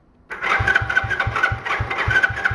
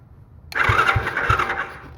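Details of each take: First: Small free ATV, fuel had been drained after sitting, choke on: steady rhythmic cranking with no firing. The spark plug wire had been left off and the plug possibly not tightened. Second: Small free ATV/four-wheeler, starter fed straight from a big charged battery by jumping the starter solenoid: it catches right away and cranks briskly with even compression thumps. The starter is fine; the solenoid circuit is not working.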